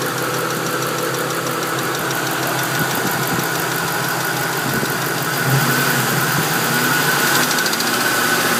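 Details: 2001 Mustang GT V8 at warm idle: a light, fast tick that appears only when warmed up, possibly from the driver-side head, loud underneath near the manifold; valvetrain or exhaust leak suspected, not confirmed.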